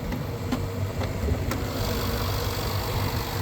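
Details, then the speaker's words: 2016 Range Rover Sport direct-injection engine at cold start: smooth, quiet, even idle with only light injector ticking and none of the usual cold clatter; sounds like a low-mileage healthy engine. "these are direct injection uh so the injectors are a little noisy but as you can hear this one sounds really good uh it's very quiet"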